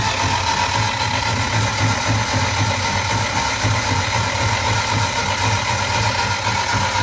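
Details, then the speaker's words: Barn-find Elva Courier Mark III race car cranked with spark plugs out and fuel pump off to build oil pressure: steady, even churning about four beats a second, no firing or knocks; free-spinning normal crank. "I'm going to crank it over with the fuel pump off and the spark plugs out which will make it a lot easier to crank and we'll just watch and see if if we get oil pressure"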